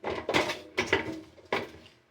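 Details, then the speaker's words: Samsung washer-dryer drum knocking with heavy, uneven metallic clunks and a ringing tail because the three-legged drum spider (horizontal shaft support) has broken; machine should be stopped immediately and repaired. "O tripé dela partiu, se rompeu. É um eixo horizontal com três pernas."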